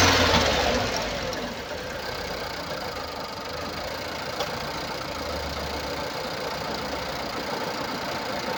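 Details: 2016 Nissan Pulsar C13, 1197 cc 85 kW/116 PS petrol engine HRA2DDT, 97,716 km; uneven chuffing beat of about three pulses a second over the idle: misfire caused by a burnt exhaust valve.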